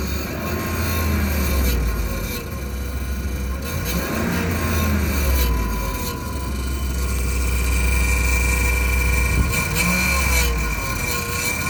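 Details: 2007 Dodge Ram 1500 5.7 Hemi, 140,000 km, at idle after remote start: thin steady high whine over the engine, blamed on the transmission, loud enough to hear two blocks away; no leaks or rubbing found, cause unknown.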